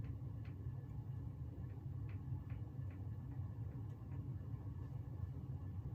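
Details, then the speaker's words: Bahama lighted-housing ceiling fan on low speed: heavy, steady low rumble with scattered faint ticks; owner hears worn bearings, worse at higher speeds, possibly needing replacement; mild wobble. "So yeah, on low, I can already hear the bearings, but it gets worse as you accelerate it. Wobble is not horrible. The one at my grandparents' house has quite a bit of wobble to it. This one's not horrible. It's extremely loud, though."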